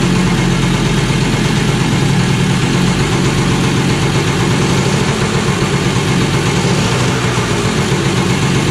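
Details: Kawasaki KE100 two-stroke after carburetor rebuild and new needle, warming up: steady fast idle that holds high and keeps rising instead of settling; idle set too high, to be dialed back once warm; some smoke.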